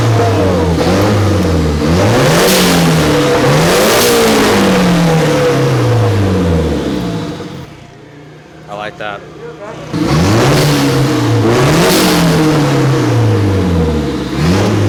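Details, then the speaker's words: Freshly installed Nissan SR20DET turbo engine's first revs after start-up and coolant bleeding: crisp repeated rev rises and falls with a clean blow-off whoosh as the throttle snaps shut; healthy turbo venting. "I convinced Calvin that we have to rev it a little bit just to hear it, and I'm really curious to see what this blow off sounds like."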